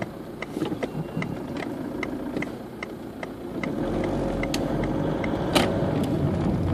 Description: Knocking noise from a worn anti roll bar link 2005 citroen berlingo van.